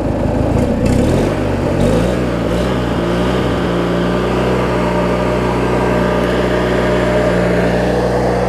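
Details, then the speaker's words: Craftsman riding mower, 19.5hp Briggs opposed twin, after governor, idle speed and carb cleaning (water, corrosion), hood on: brief blip then smooth, even low-rpm idle with steady low drone, no stumbling; running normally, possibly a touch fast. "step right up model I'll show you just some just not these opposed swings just runs so smooth even at low rpm"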